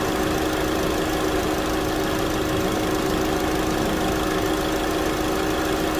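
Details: 2009 Chevy Cobalt, 339,428 miles, after a thermostat replacement for code P0128, warming up: steady, even idle with a smooth hum and no knocks or misses. Normal idle.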